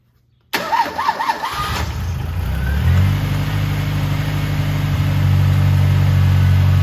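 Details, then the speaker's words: 1985.5 Ford Mustang SVO after fixing vacuum leaks (cross-threaded bolt gap at throttle body): brief cranking, catches cleanly and settles into a smooth, steady idle with no hiss or hunting; runs much better. "that sounds way better it's running smooth"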